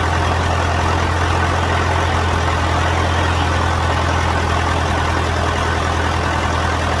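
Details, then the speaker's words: John Deere 450 diesel at first start after in-frame rebuild and fuel system bleeding; steady, even low rumble at idle with no knock or miss; smooth and healthy. "sounds good all right well that was really good"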